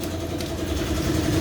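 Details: Honda Kharisma after replacing the faulty fuel tap that let fuel be sucked continuously into the intake manifold, carburettor normal: small single idles steadily with even low thump, no hunting or stalling.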